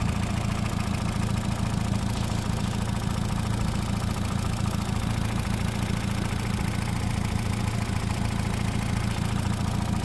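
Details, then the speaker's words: 2008 Honda Civic Hybrid, small four-cylinder idling under the hood with a steady, even low chug and no knocks or ticks; car noted as needing wheel bearing(s) and oil change: normal idle. "Alright, under the hood, we've got a little lawnmower engine. And it's just chugging away."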